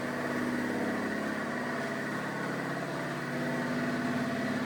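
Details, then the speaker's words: Shop air compressor filling its tank after being moved out of the workspace, running through a new dryer: steady, even pump drone with constant hum, no knocks, rattles or leak hiss; far quieter than before, running normally. "You can hear that vet filling up. And it's really a big difference because I used to have it running here and I needed to have the air mufflers on as as soon as it wasn't running because it was hell of a noise"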